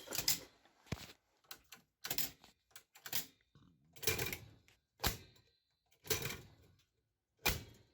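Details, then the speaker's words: 1979 Panasonic PV-1200 VCR not running: sharp uneven solenoid clicks about once a second, slow to discharge; power supply was first suspected, but the actual cause was a failed sensor bulb with an intermittent short. "Power supply is dead. You can hear it takes forever to discharge that freaking solenoid, so."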